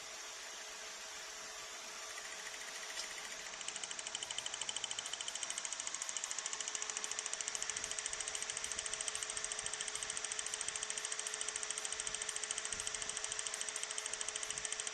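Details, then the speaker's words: Hyundai Getz with rough running, P0300 and P0301 codes. Ignition leads pulled one at a time at the coil pack with a test light grounded to battery negative. Sharp, evenly spaced snaps three to four per second show strong, good spark on every lead. "and in this case I was able to confirm that the coil pack was producing a good spark it was showing good strength right across"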